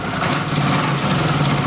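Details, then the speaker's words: 1979 Honda CX500 twin after rebuild, restarted after months standing outside: steady, even low idle burble with no timing-chain slap or knocking, engine settled and running alright; normal idle. "But yeah, this is running alright now. Should take it out for a spin, give it a good wash."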